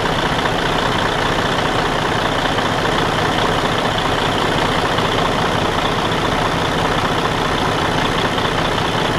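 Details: Detroit DD13 diesel in Freightliner Cascadia after repair of camshaft damage and replacement of the whole housing (previously loud internal noise, out of timing): steady even rumble, no internal knocking or clatter; runs smoothly and healthy.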